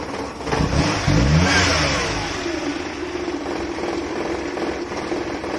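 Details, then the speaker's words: 1997 Maruti 800 carbureted engine: it starts and settles into a lumpy, uneven low idle with heavy shaking vibration; the fix is tuning the carburetor fuel adjustment screw anticlockwise. "பயங்கரமான engine vibration இருக்குது. இந்த vibration அதிகமாக இருக்குது."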